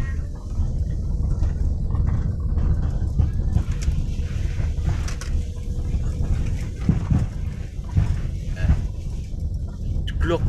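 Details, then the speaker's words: Daihatsu Xenia / Toyota Avanza rear suspension driven over potholed, rough road: heavy rumble with dull clunking thuds from the rear; worn rear rubber bushings suspected. "tuh dari ketika melewati jalan berlubang-lubang seperti ini teman-teman bunyi gluduk-gluduk kayak bentuk bebsy bentuk dog dog dog dog itu bagian belakang Xenia Avanza ini"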